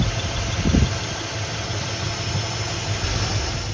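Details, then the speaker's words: 1966 Ford Galaxie V8 at idle after replacing a rebuilt Ford Thompson/Eaton power steering pump that whined and felt notchy: low even rumble, the new pump quiet with no whine, normal idle. "So I went ahead and just installed a new pump. This one's quiet. I think it's even quieter than the one I had before I rebuilt"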